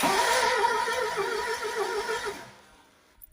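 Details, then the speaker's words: 1976 Triumph Dolomite 1500 HL, 50,000 miles, formerly seized engine not run since about 1987, now rotating on the key, fuel system not yet done: steady cranking about four beats a second without firing; sounds down on compression. Cause suspected, not confirmed. "Uh, sounds like it's down on compression, and it probably is. Given the fact it's a seized engine, it's not really anything to worry about yet."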